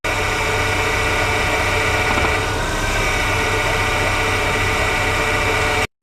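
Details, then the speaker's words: Hydraulic power steering (DHB) pump at idle: low, even growl with no squeal or knock, the normal low-intensity noise from high system pressure during static parking manoeuvres or low speeds; not a fault unless loud. "o rosnado é um ruído grave de baixa intensidade resultante da condição de alta pressão no sistema e emitido durante manobras estáticas de estacionamento ou em baixas velocidades"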